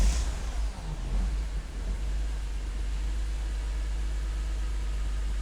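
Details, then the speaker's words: BMW E46 M3 after a no-start repair, primed and now starting on first crank: deep, steady rumble with even smooth beat, no misses or knocks; sounds better than before, normal running. "how's it sound it definitely sounds better already than it did then it started up pretty pretty immediately"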